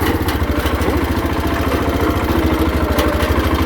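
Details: 1979 Case 224 hydrostatic riding lawnmower, deck off, fast idle after a choke start, steady even low thumping about 200 beats a minute, no knocks or misses; idling normally.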